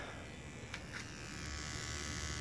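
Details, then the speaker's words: Electric fuel pump on an OS Sirius 7 FR7-420 radial engine converted to gasoline with CH Ignitions CDI, 20:1 mixture, driven via a servo simulator: a steady, thin electric buzz holds even with no stutter; pump running normally. "you can hear there the pump it's running"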